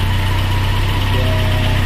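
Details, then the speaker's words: 1996 Nissan Hardbody pickup, carbureted Z24 four-cylinder, restarted after a carburetor overhaul and sitting four years. Steady, even low rumble with no knocks or misses; it idles smoothly and sounds healthy. "so now it's okay and it's starting back for a long time since this car was expired for four years and i just decided to run it again"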